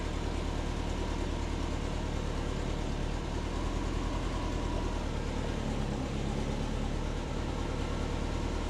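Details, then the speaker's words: Subaru Forester SF5 converted from automatic to 6-speed manual, after reverting to the base fuel map: steady low rumble at idle, about three beats a second, with no pops or backfiring. Running much better. "yeah so she's running a lot better I'll start her up and you can just hear that it's so much better so much better"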